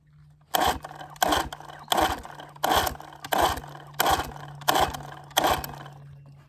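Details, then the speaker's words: 1966 Evinrude 6 hp Fisherman outboard, scrapyard find once seized, being started on choke: steady sharp bursts about every 0.7 s that never settle into running; it wants to fire but dies each time. "it does it does want to fire but it doesn't want to go this little keeps on slopping around on me unfortunately"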